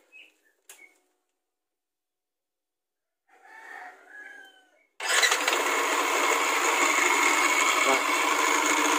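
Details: Bored-up Yamaha NMAX scooter starting and running: harsh, gritty clatter from the left-side CVT instead of a smooth hum, despite replaced sliders and good pulley; camshaft bearing or starter gear bearing suspected.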